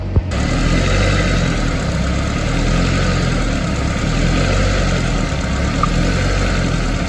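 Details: Escort RS2000 Cosworth replica, warm, after re-bleeding the cooling system with heaters on; a Radweld clog and an airlock/thermostat issue were suspected. Even, steady low idle beat with no knocks or misses: normal idle.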